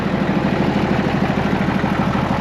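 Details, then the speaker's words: Case 1175 tractor (Desert Sunset 70 series) parked 15 years, revived: steady, even turbo diesel chug at idle with a faint turbo whistle and normal Case exhaust haze, no knocks; throttle cable sticky; healthy normal idle. "But dang, it sounds good. We got the normal case haze. I can hear just a hint of turbo whistle, so that's good."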